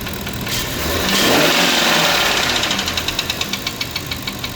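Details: Warmed-up engine revved, then a sharp, even ticking knock at about three per second as revs fall. Engine knock when revved, source undiagnosed.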